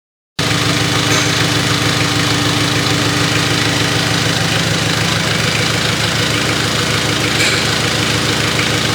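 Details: Mitsubishi Triton 4M40 diesel after an overhaul: steady idle with an even, regular clatter and no odd knocks or misses. A healthy, freshly rebuilt engine.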